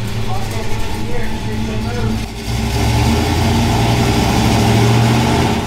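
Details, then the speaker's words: Dodge Coronet after transmission replacement, fired up in neutral, no leaks: deep steady rumble with a slight rev rise, no clunks or slipping; every gear works and the transmission seems fixed. "right so she's got every gear it needs it's not leaking i think the tranny's fixed"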